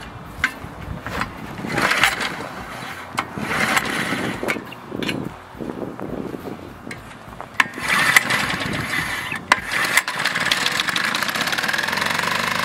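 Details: Vintage Flymo hover mower, governor spring shortened to run about 3,700 rpm, kill switch fixed, cutting frozen grass in snow: high buzzy two-stroke rises and sags under grass load but keeps pulling; normal running.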